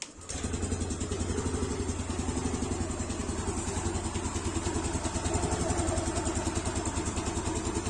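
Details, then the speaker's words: Yamaha Aerox (old model) after fitting an R15 piston, AHM standard racing exhaust: fires at once and settles to a quick, even, quiet idle with no rattle; previously rough and snoring, now smoother. "Nah, ini suara mesinnya jadi kalem banget ya. Termasuk suara knalpot, padahal saya kan pakai yang AHM ya, standar racing."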